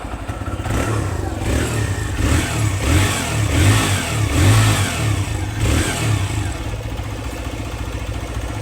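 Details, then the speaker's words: TVS Raider motorcycle at 2245 km after timing chain replacement: repeated blips rise and fall cleanly with an even exhaust note and no top-end rattle; earlier bad engine noise fully gone, normal running. "सुना। दोस्त। आवाज़ पूरी तरह से बंद यह हो चुका है।"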